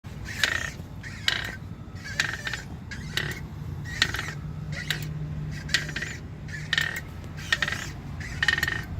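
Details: 2016 Jeep Wrangler JKU: a squawking chirp repeats roughly every second over low engine rumble as the clutch is worked. It happens only once warm, typically after about 30 minutes of city driving, ongoing for a year. Clutch chirp when warm.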